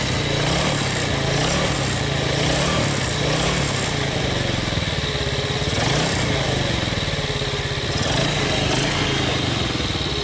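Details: 2006 Yamaha Vega R new motorcycle after engine teardown and parts replacement for a harsh, rough-sounding engine: even, quick single-cylinder putter at idle with steady rhythm, no knocking or harshness; runs smoothly.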